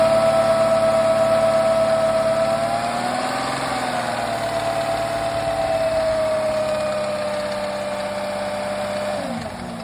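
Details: 2003 Porsche Cayenne 955 4.5 V8 (M48.00) at idle: faint even tapping about three beats a second over low drone; engine knock, cause unclear.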